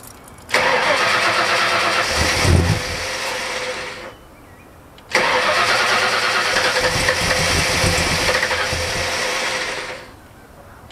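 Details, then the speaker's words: 1977 Ford ZH Fairlane Cleveland V8, first start after a Holley Sniper EFI install with the throttle cable unhooked: loud runs catching at a fast, raised idle, holding even before shutting off; high idle while the EFI learns and targets 800 rpm. "all right she's pretty loud at the moment he's currently doing a bit of learning trying to anyway trying to target 800 rpm for the idol the idler control is going up"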